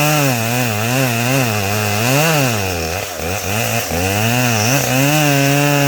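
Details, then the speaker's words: Customer's chainsaw tested after a repair, fitted with a short bar and skip chain: strong, steady two-stroke buzz that picks up and drops cleanly with the throttle, no stumbling or misfire; running much better than the day before. "Yeah, it's running a lot better than it was yesterday."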